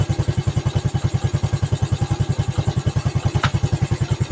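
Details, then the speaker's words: Yamaha Vega ZR single-cylinder after rebuild (valve guide replaced, piston and camshaft modified), idling: valve noise now smooth versus rough before teardown; crisp evenly spaced thumps with no knock; slight irregular clatter attributed to clutch housing; healthy idle. "Tapi untuk bagian klep suaranya sudah halus. Kalau tadi kan bunyinya agak sedikit kasar ya sebelum kita bongkar. Ini suaranya sudah halus."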